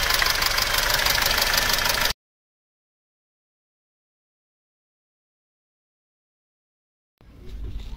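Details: Mercedes M271.860 engine at idle: quick, even metallic ticking over the idle, a top-end tick suspected to be rocker arms but not confirmed; timing chain stretch was being measured.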